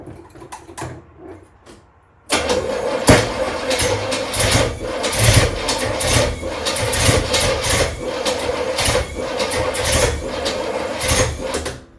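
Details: Trans Am, first start after engine install, some grounds not yet connected: a few seconds of cranking, then catches and runs loud and uneven with irregular surges; running rough.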